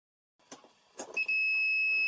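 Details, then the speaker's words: Reinberg electric kettle with a newly installed power switch, tested with a multimeter in continuity mode at the switch terminals: after a couple of clicks a clean, steady beep holds, so the switch closes properly. "chúng tôi kết nối đầu dò St với công tắc Thiết bị đầu cuối và kiểm tra xem nó mở và đóng như thế nào"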